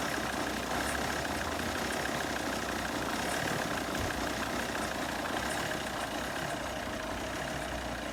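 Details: 2010 Volvo XC90 2.4 D5 with a Euro 4 EGR setup, cold start: a lumpy, uneven idle that often cuts out until warm. It uses oil and has no ECU codes; injector tests are fine, and cleaning the EGR and intake helped little.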